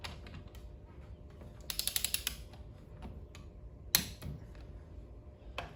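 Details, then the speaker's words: Briggs & Stratton engine crankcase cover bolts torqued to 25 ft-lb in a star pattern after oil-leak gasket replacement: quick light ratchet clicks, then one sharp louder snap as the click-type torque wrench breaks over at set torque; working normally. "Hear the click. Like always, make sure they're torqued."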